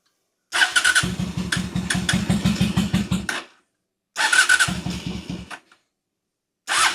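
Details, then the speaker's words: 2003 Honda Shadow Spirit VT750 V-twin on non-ethanol fuel, carb trouble recurring yearly: starts in short lumpy, uneven bursts that die out, running on one cylinder; carbs due for cleaning. "So, as you can hear, this thing's just running on one cylinder. And obviously, there's no diagnostics needed because I've been dealing with this ever since I've had the bike."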